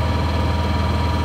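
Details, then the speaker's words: Honda EU7000is inverter generator running a 2-ton central air conditioner through the panel; after a two-second overload-light startup surge it settles to about 2100 watts: steady, even low hum, smooth pulse, no surging or misses; normal under load. "it nicely runs their condition the overload light will come on for about two seconds and once again it starts it'll go right back down to 20 100 watts"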